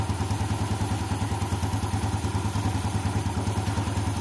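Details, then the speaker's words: 2014 Yamaha Jupiter Z1 after cleaning water out of the crankcase breather hose: steady, even low idle with no clatter or knock; the ticking heard when cold is gone. "setelah selangi dibersihkan air itu dibersihkan semua suara kletek-kledek hilang penyebabnya dari dari sini ya dari selang pernapasan ini sudah hilang halus ya"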